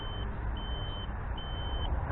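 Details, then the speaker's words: OBD2 memory saver on a 2002 Ford Crown Victoria P71 with the battery positive terminal removed: repeated shrill half-second beeps with brief gaps over a low rumble; fuse intact, saver live and powering the car. "That's powering it. Fuse isn't blown. Still beeping. So I'd say that works."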